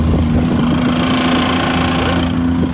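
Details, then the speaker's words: Rebuilt wrecked 2024 Nissan GT-R, first drive after cooling system install, no downpipes: steady low drone over road noise while rolling; all-wheel-drive system suspected broken, carrier bearing or driveshaft also considered; exact part unclear. "that sounds definitely like a drive shaft no that's not drive shaft it's going now that's all whe drive system oh broke something that's not good"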